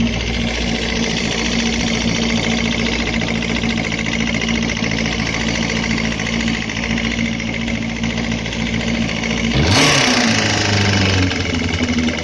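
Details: Suzuki Bandit 250 four-cylinder: an irregular deep knock of about three to four per second rises with revs over the engine note; teardown found a spun connecting-rod bearing on cylinder 3, and the crankshaft is scrap.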